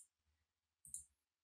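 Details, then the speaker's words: Windows 10/11 PC: two soft, crisp clicks in a quiet room, the keystroke feedback sound played while Filter Keys is on, which makes the keyboard seem unresponsive. "you can also hear the clicking sound because the filter keys are currently on"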